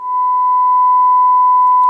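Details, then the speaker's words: Sanyo DCX 3300KB 4-channel amplifier before repair, third channel: pure, steady high test tone holding one pitch with no buzz or rasp. Looks okay on the oscilloscope, unlike the distorted second and fourth channels. "Looks okay on the oscilloscope."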